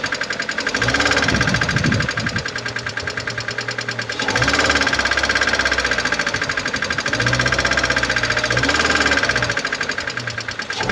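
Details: 2011 Mercedes-Benz A160 W169, 1.5 L M266E15 petrol, 70 kW, 97,955 km. Quick, steady ticking over idle that keeps pace with engine speed, from a defective hydraulic lifter.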